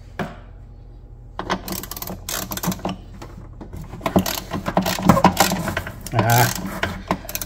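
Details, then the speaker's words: 1990 Kawasaki JS550 (550SX) stand-up jet ski, barn find, low hours, seemingly never disassembled: irregular metallic clunks and rattles in bursts as the engine turns over, caused by two broken motor mounts, expected on skis this old. "So that's a broken motor mount. I'll show you guys what that looks like here in a little bit. And that's what 2 broken motor mounts sounds like."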